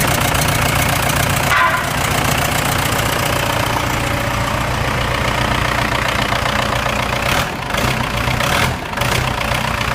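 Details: Cummins 4BT diesel in a Case 1840 skid steer, first start after rebuild following a broken #4 rod, holed block, broken camshaft and bent valves; steady low idle with even firing, no knocking or clatter; normal diesel idle.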